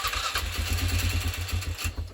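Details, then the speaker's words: 2007 Polaris Scrambler that sat over four years, carb cleaned, in neutral with ether sprayed on the air filter. It catches on ragged low firing pulses for about two seconds, then dies. Compression and spark present, so fuel is suspected, possibly the fuel pump. "And you can hear it actually did start, and then nothing again. So I said, okay, it has compression, it has spark, it has to be fuel."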